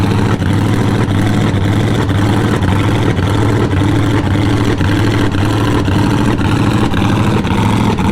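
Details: Jeep Scrambler engine running loud and lumpy, steady tap about twice a second over deep rumble; bad lifter, likely flattened cam lobe and bent pushrod found; listener suspects valve spring.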